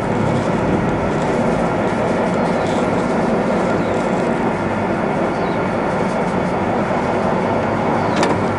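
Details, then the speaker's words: Used Bronx (UK) 31P86 2500mm x 19mm plate rolls, main rollers ticking over: loud, even, steady roar with oil splashing, no knocks or grinding; all gears run nicely, backlash tension wheel up top; normal running. "You can all hear the oil splashing around, but all the gears run really nicely."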